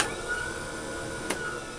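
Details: El Turbo OD/OV, testing switch #3 (B) with solenoids on the 24/36-volt system with a fresh fuse: a click, then a steady high motor whine holding one pitch as it kicks into overdrive; normal electric motor running.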